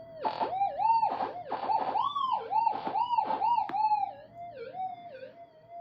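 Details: Minelab GP Extreme gold detector after repair of burnt area and swapping some components: crisp warbling tone swoops about three a second as the gold test piece passes over a clean threshold hum; normal target response.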